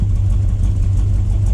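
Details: First start of a 1979 Chevy C10 factory 454 big-block V8 after sitting 5 years. Steady, even low idle rumble with no knocks or ticks; healthy, with almost 60 lb of oil pressure afterward.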